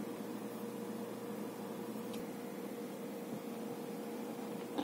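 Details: Faint, steady mid-pitched hum with no clicks or scraping from a 3 TB Hitachi 3.5-inch hard drive in an AgeStar 3UB3A8 USB external enclosure; drive spinning normally and sounds healthy.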